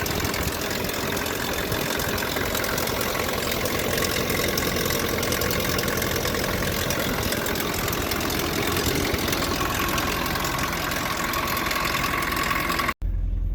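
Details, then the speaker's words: Nissan pickup with blown head gasket, just started after snow-packed blizzard sitting, warming up: lumpy stumbling idle with light rattle, timing chain noisy since gasket blew, about two-three cylinders firing; rough idle misfire from blown head gasket. "Yeah, all that started making noise at the same time as the head gasket blowing, so it's a nice sound, isn't it? I guess I'll let it warm up here a bit. Yeah. 2.3 cylinders came to life there."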